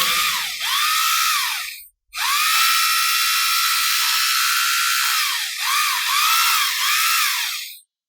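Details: 20mm rotary hammer drill after gear housing replacement and screws tightened: high steady motor whine that dips briefly and recovers on each trigger pull, no grinding or rattle; runs normally.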